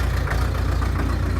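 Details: 2001 New Holland LB75B backhoe diesel, 1,800 hours, cold start at about 30°F after sitting: steady, even chug at idle with regular low pulses, no knocks or misses; normal cold idle.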